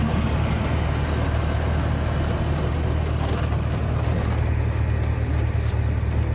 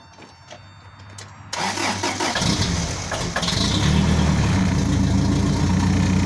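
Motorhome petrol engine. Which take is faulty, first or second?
second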